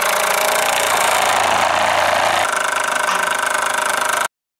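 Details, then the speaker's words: Model steam engine run on garage air compressor (set about 25 psi, partly used) instead of fire, on workbench: quick even chuffing about four beats per second with steady airy hiss; normal running. "No fire no flame no heat no electricity, just turning it off the compressor here I've got the coil going over to the compressor compressor set at about 25 psi but I'm only using a portion of that through here."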